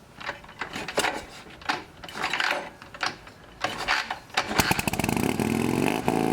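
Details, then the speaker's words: Shovelhead chopper with new S&S-style knockoff carburetor: a few sputtering catches, then a fast steady rev near 3000 rpm even with idle screw fully out; a metal spacer, suspected of pulling the throttle cable, holds it open. "the problem is is even with the idle screw completely turned out it's revving up to you know 3000 rpm or something it's you know it's acting like it's at full throttle when it's barely at idle"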